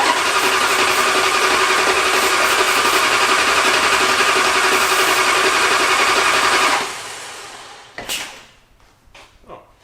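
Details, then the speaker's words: '77 Chrysler Newport after motor and transmission swap, fuel filter added: steady fast even cranking about seven seconds without catching, then sharp pops only when key turned off; crank-no-start, owners suspect the electronic ignition box. "Okay. Well, turn the key off and that's when it fires. Yeah. So, that's So, ignition box is an issue."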